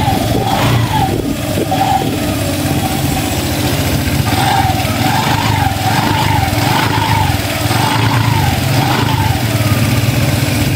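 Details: Honda Click 150i scooter that previously would not start, now at steady, even idle with a light wavering whistle on top; sounds healthy and settled.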